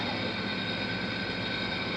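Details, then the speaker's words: Window-unit air conditioner scroll compressor running, heard from outside: steady whirring hiss with a few high even tones; owner suspects low refrigerant, which would make it cool less and less until it stops cooling. "hear that scroll it's a scroll compressor you hear that drive whirling"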